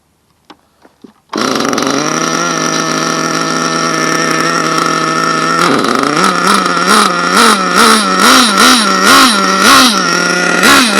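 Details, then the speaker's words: HPI Savage nitro truck, warming after start, slightly rich and died on throttle: steady high buzz then surging up and down about twice a second; drive not engaging, engine loose in its mount. "something's not right something is not right here all right we're going to lose this body ah darn it it's like it's not W to grab it's on there ain't it it's not not hitting"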